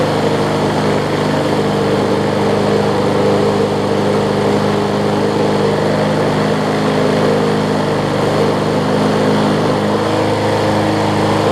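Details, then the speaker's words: Older MTD Yard Machines 21-inch push mower, 3.5 hp Briggs & Stratton engine, carburetor not priming properly: steady drone with coarse, shaking buzz and heavy vibration at running speed, later traced to a bent crankshaft. "So it's not priming, and it's vibrating my rear end off."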